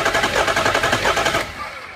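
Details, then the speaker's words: Diesel V8 truck with a crank-no-start, after all eight injectors and the fuel filters were replaced: lumpy, uneven cranking with one beat lighter each turn. Number 8 cylinder has zero compression (about 300 psi expected); a cracked piston is suspected. "so you can even hear it not sounding right on the crank and they're not getting any pressure whatsoever um on these diesels you should see about 300 lb um but there is absolutely nothing so this motor actually has a uh bad number eight cylinder"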